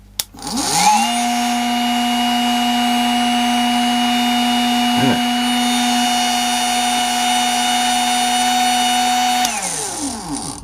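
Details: Bosch 10.8 V multi tool with a broken battery sense pin on the battery connector: motor spins up to a steady, even whine, holds constant pitch about nine seconds, then winds down cleanly; runs normally.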